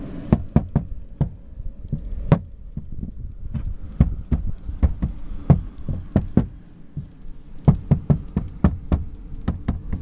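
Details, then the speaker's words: Datsun on-DO driving: sharp irregular ticks and knocks, several per second, over low road rumble; loose cabin plastic trim rattling and creaking. "Продолжение про скрип Datsun. Вот слушайте внимательно."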